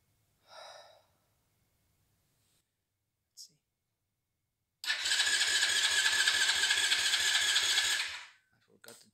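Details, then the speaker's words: Never-started 110cc pocket bike on 13-year-old blue factory fuel: a few seconds of steady cranking pulses, about three or four a second, that never catch. It shows signs of life but won't start; old fuel is the stated cause. "Okay. God damn it. Oh, it's not starting, but it shows signs of life."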